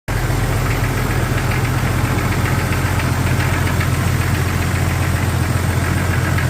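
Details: 1999 Jeep XJ petrol engine idling, before piston swap: steady hollow knock about four a second; piston slap.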